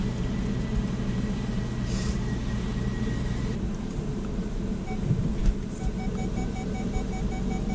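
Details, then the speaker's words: Jaguar after new clutch, flywheel and release bearing install (subframe removed/refitted), engine flushed, new oil and clutch fluid: even, steady low rumble while rolling, no knocks, slips or grinding; normal running after repair. "It's all complete and it is rolling good."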